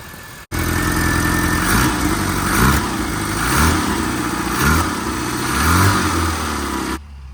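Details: Classic Mini Cooper first start after fuel tank and pump wiring were cleaned and rewired: catches immediately, fast idle with gentle rise and fall, running normally; it later overheats and pushes coolant.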